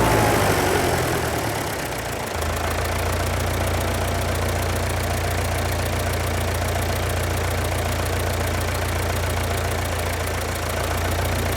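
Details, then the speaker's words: Rebuilt John Deere tractor diesel restarted without touching the throttle: fires and surges high, drops back, then low idle hunts up and down; suspected injection-pump governor fault, runaway on start suspected from metering valve. "the other one is that as the engine's idling at a low idle the uh it wants to hunt for an RPM in which to to idle at so you can you can hear the engine up and down up and down up and down"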